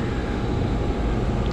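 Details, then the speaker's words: Island Aire/Amana PTAC unit set to cooling after its bad 24V transformer was replaced. The fan starts and the compressor runs with a steady, even hum and no knocks or rattles; the transformer fix restored cooling. "all right the fan started and i can hear the compressor so that definitely did it for the cooling side"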